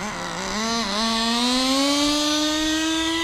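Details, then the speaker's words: Turbocharged nitro RC car after leaning the fuel: the engine screams up steadily in pitch and never drops into second gear. It is not shifting, and the owner suspects a burnt-out transmission or clutch. "yeah that is faster still not shifting so we for sure burnt out the transmission or the clutch or whatever I don't know how these things work"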